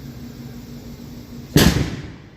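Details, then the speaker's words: Quiet room hum, then one sharp bang that fades over about a second as the air conditioner and power cut out. The speaker believes a nearby transformer exploded, but this is unconfirmed. "Uh-oh, that was a transformer, because my air conditioner just went off. So I think power just went off."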